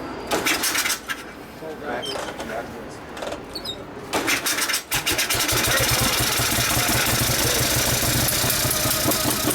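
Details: 1959 Harley 74ci panhead, new build with 38 Mikuni carb, very hard starting, kickstart tune-up: after uneven kicks and sputters it catches into a loud, steady, lumpy run with no obvious knocks.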